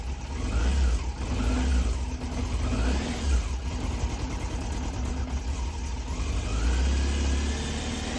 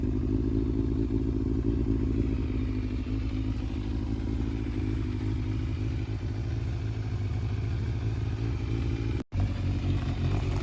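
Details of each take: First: Cold, original matching-numbers Yamaha Fazer 600 inline-four revving and idling: faint light ticking over the deep engine note, a top-end noise the owner suspects is a minor timing (distribution) issue, unconfirmed; blue smoke when hot is the bigger worry. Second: Yamaha Fazer 600 inline-four warming up at idle: smooth, low, even beat with no misfire or knock and no smoke; engine sounds healthy, though a regulator or alternator charging fault is suspected.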